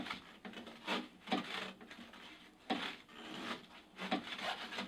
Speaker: you can hear on the machine there's like a clunking noise coming at the back there's all sorts of noises coming from the front end here